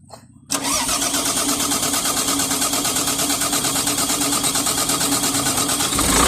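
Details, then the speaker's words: Volvo EC210BLC excavator, Volvo D6D diesel, after repair that had a no-start complaint, rocker cover refitted and oil topped up: short crank, then catches at once and settles into steady, even clatter with no misses or hunting; normal start, not smoky. "Yon. So ayan mga boss, umandar na yung unit natin."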